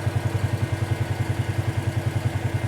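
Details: 2018 Polaris Sportsman ACE 570 after full top-end rebuild (valves, stem seals), warm idle near 199–201°F with radiator fan on: even single-cylinder thump about ten times a second, steady fan whir; runs clean, normal healthy idle.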